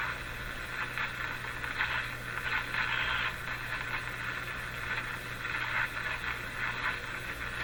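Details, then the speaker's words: 1935 Rogers Model 7R622 tube radio after broadcast alignment, shortwave band at very low frequency: steady hiss and crackle with low hum and no stations, normal band noise, set working. "it certainly sounds like it's working tuning in junk"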